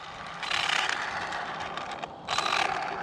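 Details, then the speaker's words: Traxxas Slash 4x4 on 3S after a jump: two harsh gritty grinding bursts about half a second each as the drivetrain spins up; owner suspects the front diff. "Something sounds real bad. What is that noise? Ooh, something's not good. Something's not happy. Yeah, something's not happy. It almost sounds like front diff."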